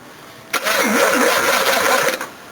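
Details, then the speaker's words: Battery test on a 351 with fresh oil and filter, cranked through a lead: strong, brisk, even cranking that turns the engine quickly; this battery passes. "Hey, that sounds pretty damn good."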